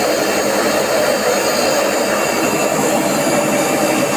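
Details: AEG Öko Lavamat 4100 washing machine spin test stepping through 800, 900 and 1000 rpm: loud continuous roar with a steady rushing whine at high spin, jet-like; worn drum bearings.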